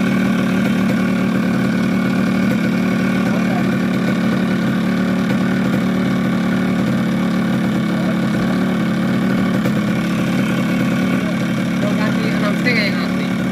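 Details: Yamaha RX King two-stroke with 125Z head, after engine rebuild with new connecting rod and cylinder block for very rough sound, magneto rub ground away; steady even idle with constant buzz, no knocks or rattles, healthy.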